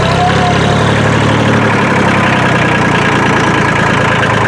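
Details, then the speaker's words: Kubota L2350 diesel tractor after cleaning water from the fuel and bleeding the lines: steady, even diesel chug at idle with no knocks or misses, a little white smoke still. Normal idle after the repair. "all right we got it running and i'm using it and it runs good so far empty out this load of mulch i got it's got a little bit of a white smoke still so far everything's going good"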